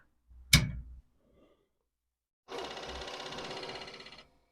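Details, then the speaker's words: Commodore 4040 dual 5¼-inch IEEE floppy drive powered on: a click, then steady whirring for under two seconds; the motor spins, but the disk may not be turning, owner wonders if the belt is gone. "see it sounds like it's spinning I wonder if the belt is just gone anyway"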